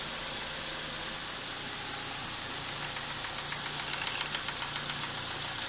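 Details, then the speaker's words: BMW E46 316ti N42, first start after timing chain, guide rail and front main seal replacement, engine on a support bar: fast light ticking about four per second over a wavering idle; hesitation probably because VANOS solenoids are not yet full of oil. "here we can hear the vanos so we have some hesitation probably because Vanna solenoids are not full of oil yet but now it works nice"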